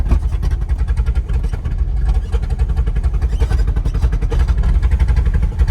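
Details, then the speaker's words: Old squarebody pickup V8 with broken motor mount, pulling away: lumpy, uneven low beat about 220 pulses a minute that stumbles; suspected not firing on all cylinders, possibly needing plugs. "I don't think it's hitting on all the cylinders. It might need some plugs."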